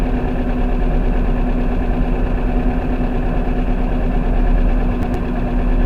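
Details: First-generation NA Mazda Miata 1.8 running after fuel pump replacement: engine idles evenly with a steady low rumble and picks up smoothly, no stumble or misfire; running normally.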